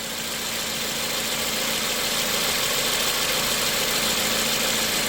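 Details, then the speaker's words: 2007 Toyota Corolla S after its dirty MAF sensor was spray-cleaned: steady, even idle coming down from about 900 rpm, a smooth hiss and faint hum with no misses or knocks; the engine purrs, healthy. "I will say this engine purrs like a kitten."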